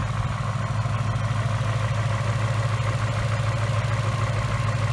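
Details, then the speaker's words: 2018 Mustang GT 5.0 with a new forged-piston engine at about 300 miles on break-in oil, first start of the day at 94–99°F. Cold idle carries a light, even clatter of about three per second over the rumble: forged-piston noise that fades once warm. "ine has a different sound to it because it's got the forged pistons in it and you really hear it when it's cold and as soon as it warms up it kind of goes away it's not a bad noise it's just a forged piston nose"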